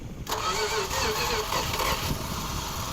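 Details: 1969 Plymouth Fury III, 318 V8 with automatic, off the road over ten years, catches after cranking and runs rough and uneven, sounding ready to stall; points were bad and the distributor cap had mud underneath, and spark was being checked.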